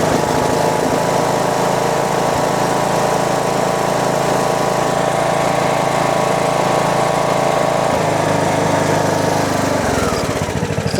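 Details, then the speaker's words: John Deere D110 mower single-cylinder engine started with choke after sitting, possibly old gas: steady, even putter at idle with no misses or surging, then winding down at shutdown; normal idle before ignition coil replacement and oil change. "Give it some choke. seems to run pretty good. Gas smells a little funky. It might be old gas. Idle's fine."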